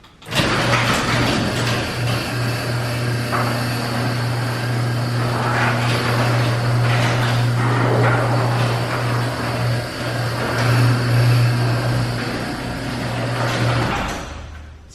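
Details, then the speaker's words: Garage door after lubricating with Blaster silicone garage door lubricant: opener hums steadily through full travel, only light rattling and no metal creak, though one side still creaks slightly and needs more lube. "So you hear it a little bit there yet. So now you can hear no creaking like it did the first time."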